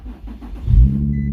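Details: Infiniti G35 after freeing a stuck shifter: brief quiet whir, then the engine catches cleanly and settles into a smooth, steady idle; normal start.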